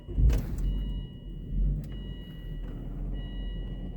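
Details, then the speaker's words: Volvo V70 Mk2 at nearly 400,000 km, started right after an oil change while watching the oil light: a quiet, low, even idle rumble with no knocking or ticking; the engine runs normally. "No niin, nyt laitetaan käyntiin ja katsotaan kuinka kauan öljyvalo on päällä."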